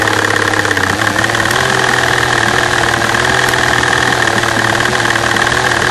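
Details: V12 at idle, microphone at the fuel rail over cylinder A3: busy idle with steady, normal injector tapping on top and an uneven, stumbling beat underneath; bad misfire.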